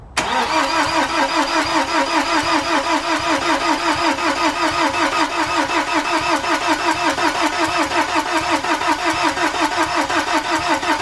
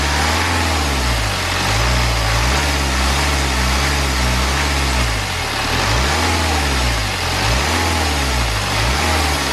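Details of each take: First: BMW N47 diesel first start after timing chain replacement and engine reinstall, battery left connected for weeks: starter drags slowly and unevenly, about two and a half compressions a second, never catching; flat battery. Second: BMW N47 diesel engine, first start after timing chain replacement and reinstallation; earlier no-start was a flat battery. Even idle with a few gentle rev rises and falls, no rattle or knock; normal idle, running clean.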